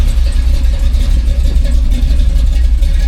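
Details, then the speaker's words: 2000 Jeep Cherokee XJ, warmed up, curb idle screw backed out on the carburetor during carb tuning until a slight lumpy cam chop is heard: steady idle, no misses or knocks; normal idle. "I'm gonna back it out until I start to hear that cam chop a little bit. I like that idle. All right, I took a little bit more off that idle."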